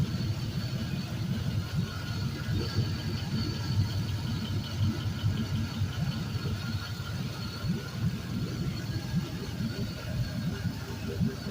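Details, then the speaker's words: Used 5.3L Gen 3 LM7 V8 from a 2004 Suburban, 140k miles, drive-by-wire, with return-style fuel rail, idling: steady, even low rumble with soft whir, no knocks or misses, barely vibrating; smooth normal idle. "so this thing around is nice and smooth barely barely vibrating it's just this is awesome"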